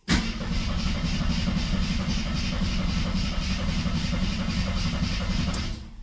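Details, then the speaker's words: Long-sitting 1972–74 AMC Gremlin: steady even cranking about six seconds that never fires; good crank but likely no ignition. "sure crank's good oh our radio does work I don't think we have any ignition this is one of those reasons I always verify that kind of stuff because if I don't it never works anyway"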